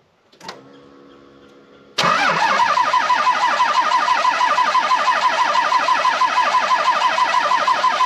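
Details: 12-valve Cummins truck, five-speed, winter: after a pause the starter grinds at about three compression beats a second for over six seconds without firing, a long-cranking hard start; owner suspects the injection pump or injectors.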